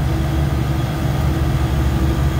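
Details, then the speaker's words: Beer walk-in cooler compressor being charged with suction throttled: steady even hum, no knock or squeal; drawing about 13 amps against roughly 14 amp run load, pressures good; normal running. "all right we're about 13 amps I think the run load is like 14 so we're doing good on that pressures are looking good"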